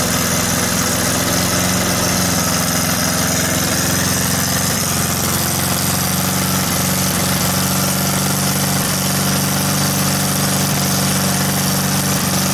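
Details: VW air-cooled engine with Weber progressive carburetor, sat a while, fired right up after earlier trouble firing a couple cylinders at idle; steady low throb at idle, no stumbles or misfires, idling properly.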